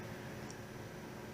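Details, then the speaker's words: Jet air filtration system: steady low mains hum with no spin-up or airflow when switched on; motor energised but stalled, traced to a failed control circuit board. "Hey guys, I have this air filtration system, the jet, and the motor hums when I turn it on, try to turn"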